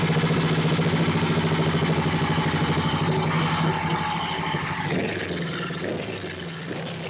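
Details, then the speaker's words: Long-stored Honda CB77 Superhawk 305 twin, oil level good: rhythmic pulsing clatter about three beats a second that fades as it slows; owner suspects the kickstart lever not returning fully, unconfirmed. "it kind of sounds like the the Kickstart lever may not be returning all the way you know or that little whirl but I could be wrong"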